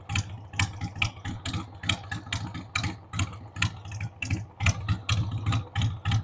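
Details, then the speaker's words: 1993 Harley-Davidson Sportster 883 Evo V-twin, sat about 15 years, running on its own on a dead battery after starting fluid: lumpy, uneven idle with irregular pulses, roughly seventy a minute, stumbling and surging; rough idle, owner says the carb needs cleaning. "Needs the carb cleaned, but man, the drive belt's in good shape."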